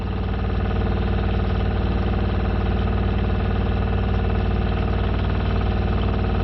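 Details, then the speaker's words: Shurflo 4008-101-A65 RV water pump, pressurized and running after its loose-screw housing separation was fixed by screwing it back together (owner thinks the screws are too short). Steady low motor hum with even rapid pulsing, about 160 a minute, no rattle; working properly. "well there you go ladies and gentlemen we have a properly working pump only issue were those screws vibrated loose"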